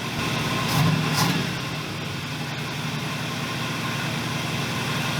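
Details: 1981 Buick LeSabre after distributor timing adjustment: short blip, then steady, even idle with smooth low throb, no misses or knocks; running right.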